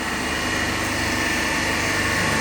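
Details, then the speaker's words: Three-phase induction motor coupled to DC compound machine, electrically unloaded, balanced 230 V supply, about 3.5 A per phase, about 1484 rpm: steady even hum with constant whine, no surging or growl; normal running, no load. "not loaded it electrically, and now right now it is operating on no load condition."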